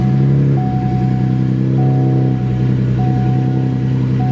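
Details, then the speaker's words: 2011 Cadillac CTS 3.6 direct-injection V6 idling in garage just after spark plug replacement; even low idle hum with light repeating chime, no misses or shaking, smoother than before when it shook badly in the morning. "Smoother already. Can already feel it. Before it used to be really bad."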